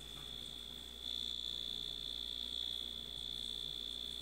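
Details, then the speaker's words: Dash egg cooker after glue-damping hack on its too-loud end-of-cycle buzzer: single steady high-pitched tone held over four seconds at modest volume, much quieter than before, working normally. "and there you go much much less noise I think I can live with this"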